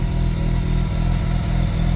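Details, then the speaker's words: Mazda RX-7 Turbo II rotary after a winter cold start from three months' storage, heard from outside, idling around 1350–1400 rpm: uneven surging idle that hunts; owner suspects a faulty device and cannot adjust the TBS without a laptop. "See, now it's going to hunt a lot though. That's the problem with these things. Yeah, it's going to sound like that."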